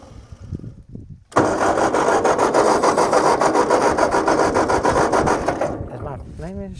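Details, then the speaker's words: Tractor with a rebuilt engine cranks steadily, about 3.5 turns a second, for nearly five seconds without firing after being found flooded; owner suspects a fuel problem, possibly the carburetor or a glass fuel bowl not filling. Not confirmed. "get enough fuel in there it it might be a fuel problem carburetor might need some work"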